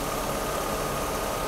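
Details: 1991 Mercedes W124 300CE 24V (M104) after repair, idling with oxygen reading down to about 1.6%: smooth, even idle with a quiet steady hum, no stumbles or knocks; healthy.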